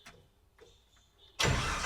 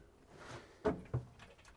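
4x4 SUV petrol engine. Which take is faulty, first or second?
second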